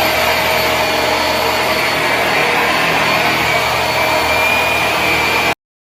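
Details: Dirt Devil upright vacuum with HEPA exhaust filter running: steady high-pitched motor roar with even airflow hiss, no surging or rattles; sounds healthy.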